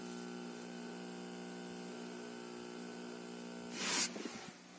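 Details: Junsun Android 9 head unit fitted to a 2003–2007 Honda Accord 7: steady buzzy whine with several fixed tones, then bursts of hissy crackle; the unit outputs digital interference noise.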